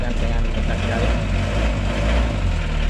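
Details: Mitsubishi L300 diesel with glow plugs, started after the starter motor was serviced: a low, steady diesel clatter with an even beat and no misses or knocks, settling into a healthy idle.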